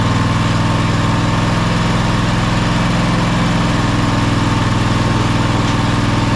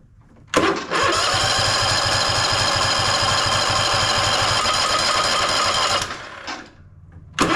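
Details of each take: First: Toro Timecutter SS5000 zero-turn (model 74731), Toro-branded Loncin engine, after carburettor replacement: smooth steady run with even rapid beat, no surging or hunting; healthy. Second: Toro Timecutter SS5000 zero-turn (model 74731), Toro-branded Loncin engine, choked with battery jump box: two long bursts of cranking, three or four turns a second, never firing.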